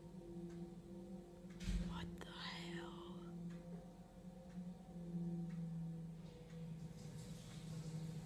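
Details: Unidentified low, steady droning hum with a faint ringing overtone coming from a drain pipe; cause unknown.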